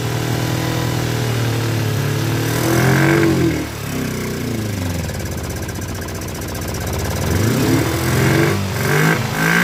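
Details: Kawasaki Ninja twin, project bike, temporary fuel splitter to both carburetors, flooding at start: stumbles and hunts, revs surging and dropping unevenly with a lumpy beat. Rough running; owner blames the carburetors.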